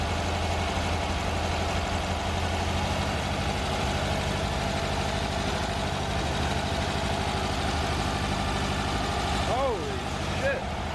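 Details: Air-cooled VW trike engine, a brand-new crate motor fitted after the old one threw a rod, at first start after the swap: steady, even idle with a smooth low beat, running cleanly with no knocking or misfire.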